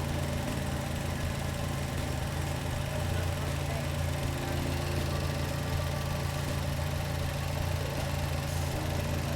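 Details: DF Goblin kit car first engine start after priming fuel system: low, steady idle with even pulse and no knocks or tapping; normal healthy idle on first run.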